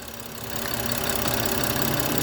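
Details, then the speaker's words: 2013 BMW 535i, 99,000 miles, check engine light and idle surging: engine idles with a slightly uneven swelling note and faint hiss, vacuum leak through torn PCV diaphragm, which bleeds down under vacuum test. "Oh, look, it's bleeding down now. Yeah, it's bleeding down a lot."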